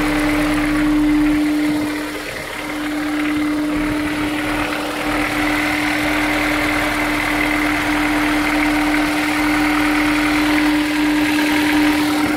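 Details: Honda S2000 at cold start idle: faint, quick, regular tap around four per second over a strong hum; owner suspects rod knock, not confirmed.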